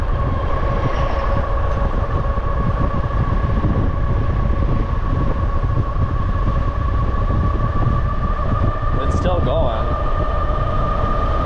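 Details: Bafang G62 1000W geared hub motor on e-bike with Flipsky 75100 Pro V2 controller, nylon gears about 3 years old, phase amps possibly too high; steady whirring whine near 1 kHz over road rumble, abnormal gear noise from suspected damaged nylon gear.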